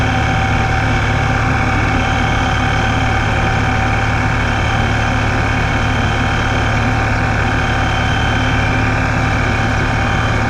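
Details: Ripp supercharger: loud constant high whine over low engine rumble at idle and crawling at low speed, only when in gear; owner suspects a bad supercharger bearing.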